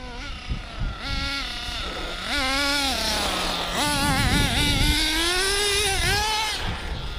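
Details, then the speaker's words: Hobao Hyper 7 nitro RC buggy after new generic clutch, exhaust gasket and elbow, idle leaned a quarter turn: small nitro engine whines up and surges by itself with no throttle input; engine runaway at idle, owner suspects the clutch. "That was a runaway there. See, that was a runaway there. So it went off, it sort of just went off by itself."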